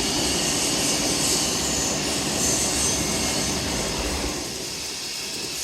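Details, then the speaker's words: Brand-new Oliver 50 gravity table deck shaker motor, not bolted down, coming up to speed in an active shop: steady mechanical roar with even shake about four times a second, no irregular noises; normal running. "all right now is up to speed you can see the deck shaking there everything hums along there are no irregular noises this unit just sings"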